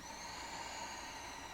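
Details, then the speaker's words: Accordion with no keys or buttons pressed, bellows being pulled: a faint steady airy hiss as air is drawn in. The bellows gasket and pins were checked and are airtight; the owner suspects a leak at the bass-side air release valve. "I can hear air being drawn in. And now, because I'm not pressing any buttons or pressing any keys, there shouldn't be any air drawing in, but there is."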